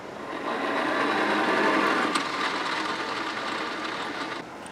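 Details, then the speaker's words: Hayward Navigator pool cleaner after not-turning fix, gears reassembled: steady even ticking about four times a second over a smooth whir, no grinding or catching; much better than before, gear drive running normally. "that sounds so much better than it did before it's actually traveling a lot more -"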